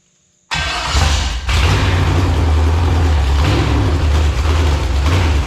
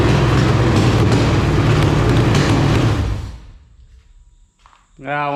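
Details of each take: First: Marketplace LQ4 6.0 V8 (99-2000, iron heads, bullet damage) test-fired with fuel bowls barely filled: catches and idles unevenly, swelling and sagging each second or so, hunting rich-lean from fuel starvation. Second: Roughly 1999–2000 LQ4 6.0L V8 with iron heads, a marketplace engine from a shot truck, run with temporary exhaust fitted: a strong, even roar on an overshot throttle blip that drops away cleanly with no knocking or clatter; normal rev, engine sounds healthy.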